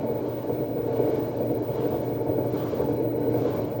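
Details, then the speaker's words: Mabe front-load washing machine, lid removed, noisy during spin: constant low snoring rumble under the drum that grows more intense as the drum accelerates, no knocks. "is the noise that the client tells us p But when the machine accelerates, the noise becomes more intense ."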